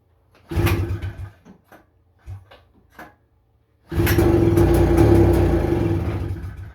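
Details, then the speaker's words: 1977 FL250 ATV, pull-start, throttle zip-tied, choke on: a few clunks and a brief rumble that dies, barking twice; the rusted carburetor has broken parts and a cracked middle jet nozzle, so a rebuilt one is planned. "She barked 2 times there. I really do think I found a good carburetor that's been rebuilt, the guy says, and I think I'm going to pick it up."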